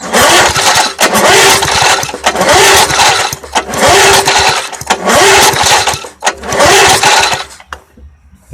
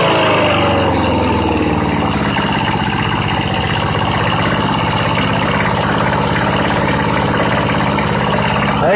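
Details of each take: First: Old 20-inch Craftsman push mower, 3.5 hp Briggs & Stratton, oil present: repeated pull-cord whirs, engine spins but never fires; spark tester shows no spark, possibly a bad plug or coil. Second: Old Southland 19-inch push mower, on 90-octane pure gas: single-cylinder holds a steady, even idle throughout with no misses, surging or knocks; sounds healthy.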